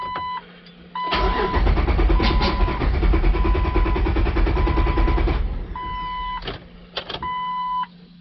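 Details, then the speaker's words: 2004 Jeep Wrangler 4.0L six-cylinder, about 250,000 miles, code P0340 cam sensor, scan tool showing cam/crank randomly going in and out of sync: starter churns steadily about four beats a second for several seconds without catching; long-crank hard start. "sometimes it just takes forever to start it'll crank and crank and crank and crank sometimes it'll spit and sputter sometimes it'll start up pretty quick"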